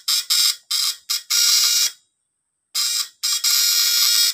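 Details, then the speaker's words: Repaired stun gun (stunner with platinum contact points), fully charged: sharp, loud crackling bursts about a second long with short gaps, strong and even; it earlier struggled, now arcs normally without heating. "So, yan naman siya, guys. Malupit ito. May lakas ito."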